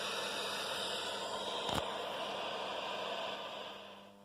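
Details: Condor RM820S radio cassette recorder, restored and first powered up: steady low mains hum under hiss with one crackle, fading near the end; hum reduced when LED lighting was switched off, suspected interference.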